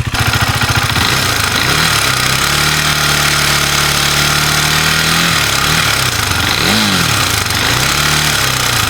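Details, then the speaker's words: KTM Duke 390, noise worsening at 4000–5000 rpm: revs rise and fall with throttle and a hard metallic clatter rides on top at higher revs; diagnosed as worn timing chain, to be replaced, rocker arms to be checked. "तो दोस्तों ये मैं जो आपको जो यह आवाज आ रही है यह आ रही है इसकी टाइमिंग चैन की और टाइमिंग चैन चेंज करें।"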